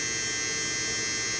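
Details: 2005 BMW R1200GS during ABS brake bleed without scan tool, pump activated while bleeder opened: steady high-pitched electric whir, even with no grinding or stutter; ABS pump running normally.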